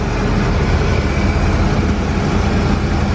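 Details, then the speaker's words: ProCharged LSX V8 Ford Falcon, first start after fresh wiring, with fuel, cooling, oil and transmission fluid checked: deep, steady, evenly firing rumble with no knocks or misses, a smooth healthy idle that sounds really good. "it sounds really good though really good really good"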